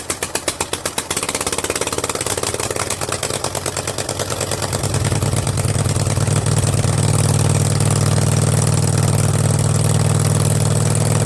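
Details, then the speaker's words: Kohler Command 20.5 HP V-twin on a Craftsman garden tractor, new fabricated exhaust elbow and forward straight pipe, started on half choke: cranks, catches, then settles into a loud, deep, even thumping idle; normal healthy idle that sounds mean. "man oh man does that sound mean or what that sounds mean that's cool i'm gonna keep it like that that's cool"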